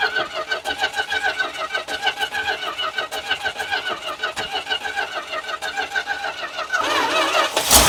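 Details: Dodge truck V8 running on a makeshift fuel line fed straight to the carburetor: fast, uneven pulsing as it catches and runs a bit ragged, swelling louder at the end; starts and runs.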